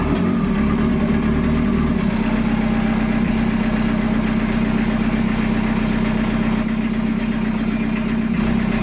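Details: Peugeot 806 1.9 TD diesel start test after engine rebuild: steady even idle, constant low hum and smooth clatter, no knocks or misses; runs healthy.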